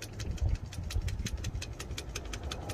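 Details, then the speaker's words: DD15 diesel truck after major overhaul and crankshaft replacement, which had run fine after repair: low rumble with steady rhythmic ticking while cranking but never catching; crank-no-start, with pressure present on the low-pressure fuel side. "and now it doesn't run around it's betraying me this engine doesn't want to run anymore"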